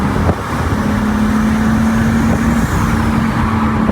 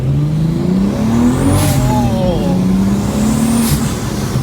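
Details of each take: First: Rebuilt 2023 BMW M3 with big turbo, untuned, too much boost, hard acceleration: note flattens and stumbles near top of revs, bogging out at 4500 rpm; engine bogging under load. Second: Rebuilt wrecked 2023 BMW M3 with big turbo, on-road pull: strong smooth rising pull, clean even exhaust note, no stumbling; runs much smoother, normal under acceleration.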